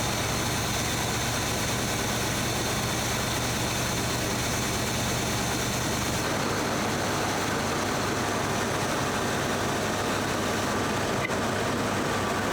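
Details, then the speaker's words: 1978 K5 Blazer after a Rochester Quadrajet four-barrel carburetor rebuild. Steady low rumble with an even, unbroken idle, no misses or surging; running real good. Normal idle. "She's running real good."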